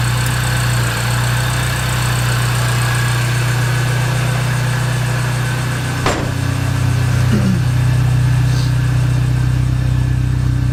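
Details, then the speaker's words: Mini after ignition overhaul with new plugs and MSD wires: smooth, even idle that picks up cleanly when revved, no stutter or misfire; normal idle and revving. "we just got back from a test drive and it runs good a lot better than it was it doesn't have the same stuttering issue"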